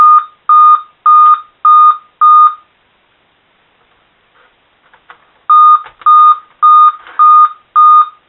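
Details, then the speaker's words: Motherboard revived by baking in an oven, with its CMOS battery previously removed, now booting where it used to give code 7 and a blank screen: two bursts of five evenly spaced high POST beeps. Code 5 means the CMOS battery / CMOS lost its memory. "Had the 5 beeps at that one time, and I checked it, and it's CMOS battery. Makes sense, since I had the CMOS battery out, that CMOS lost its memory."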